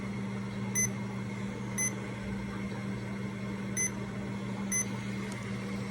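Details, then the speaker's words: Remodulin infusion pump self-tested, reserve volume 100, air detector off, priming its line: short high chirps every one to two seconds over a low steady hum, normal priming. "now it's doing a self test please wait now we're ready to prime the line so we're gonna prime"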